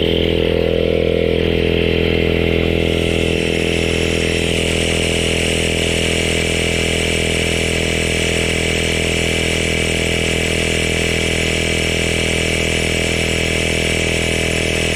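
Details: CYCPLUS AL7 cordless tire inflator with active cooling, bicycle mode set to 40 psi, inflating a tire: loud, steady buzzing drone with an even fast pulse for about fifteen seconds, then it stops; normal running.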